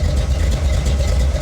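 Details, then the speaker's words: 1970 Ford Falcon small-block Ford after a 750 Holley carb swap, not fully warmed, idling about 750 rpm with about 7 in vacuum: deep, steady V8 burble with cammy tone, even and smooth with no miss or hunting. "The idle is so much healthier and smoother. I mean, it sounds great."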